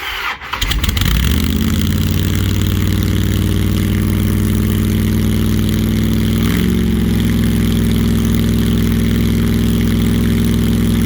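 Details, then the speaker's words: 1968 Plymouth Barracuda with a blown big block, on first start and not yet timed: it cranks, catches and settles into a lumpy, uneven, irregular lope. It backfires through the intake with flame and the pop-off valve venting; the number 1 plug was dry. Rough idle, cause unconfirmed. "Got to figure out why it's idling so funky. And you also need to get it timed."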